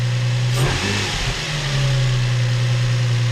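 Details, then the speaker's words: Infiniti G35, just out of limp mode, with leaking original valve covers and an oil-soaked rear plug: quick rev blip settling back to a smooth, steady low idle with no misses or tapping; no check engine light. "purring like a kitten check engine light nothing"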